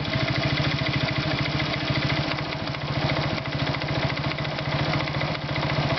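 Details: Irbis Virago 110 motorcycle idling: a rapid, regular tapping knock low in the engine, keeping time with the small single. Source undetermined.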